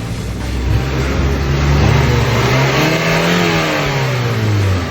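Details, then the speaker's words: 2010 Ford Fusion after a throttle body replacement, warmed up and given a couple of revs before shutdown; clean throttle blips rising and falling crisply with no hesitation or misfire; engine running well. "Sounds good, really good."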